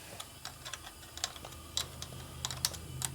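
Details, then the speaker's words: 1972 Harley-Davidson XLCH Sportster ironhead during clutch cable adjustment and clutch repair: irregular light ticking about two a second over a low hum, inconsistent, not affecting function; clutch release area suspected, cause not found. Clicking noise. "it's not affecting how it works but it doesn't sound good I don't know what the hell that"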